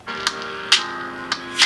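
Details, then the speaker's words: Phone speaker right after being pulled from water, before drying, playing a video: tinny music breaks into sharp crackles and pops about every half second; water-damaged speaker crackling. "And you can hear it sounding not that great. You can hear the cracking and popping."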